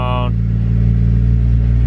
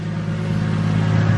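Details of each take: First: Nissan R34 Skyline idling high, initially around 1300–1400 rpm; after the idle screw is adjusted it is still about 1100–1200 rpm. Steady, even hum above normal tickover with no misses or knocks; idle set too high, needs lowering further. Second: Nissan R34 Skyline, warmed up, after idle screw adjustment: smooth, steady low hum around 1060 rpm with an even rhythm and no ticks or stumbles. Normal idle.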